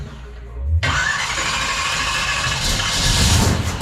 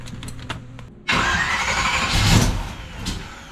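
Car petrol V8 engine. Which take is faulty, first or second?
second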